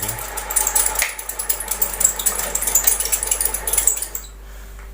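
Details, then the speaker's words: Ceiling fan powered on, microphone near motor: fast, rhythmic chirping squeak ("chu-chu") repeating with each rotor turn. "जैसा की आप देख सकते हैं कि इस प्रकार से चच करके आवाज कर रहा है"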